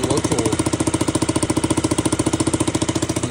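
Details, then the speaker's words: KTM Duke 200 V2 single idling with a fast, even puffing tick, about 214 per minute, from a leaking exhaust pipe gasket at the header; the owner says it sounds broken, and the gasket is to be replaced at a shop. "Okay, sebab korang bunyi kau dengar aku punya exhaust bunyi memang bunyi rosak."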